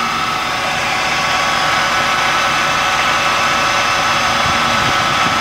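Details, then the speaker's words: Subaru Brumby four-cylinder with new Weber carburettor, timing at 12 degrees: vacuum applied to the vacuum advance makes the idle lift, hold and run cleaner; low, steady idle with no stumble or surging; normal idle. "There we are, the vacuum advance works and it's holding. We can hear that the idle lifts and it's running cleaner."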